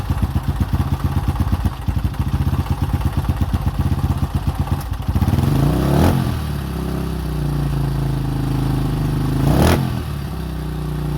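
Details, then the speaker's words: 2005 Honda CRF150F (California street-legal) after valve adjustment and carburetor tune-up, previously wouldn't start or idle: single-cylinder popping at idle, then two clean rev blips that climb and settle smoothly; running normally. "the customer should be pretty happy now that we got it all back together and ready to go"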